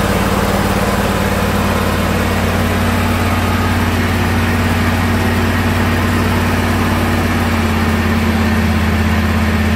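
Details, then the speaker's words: John Deere lawn tractor after replacing a plug-in part in the cab that made it die once hot: steady, even low idle with a smooth beat and no misses or knocks. Normal idle. "So what I'll do here is just start it up to show you that it runs with the new part. It did run with the old part, guys, but as it got hot, it would die on me."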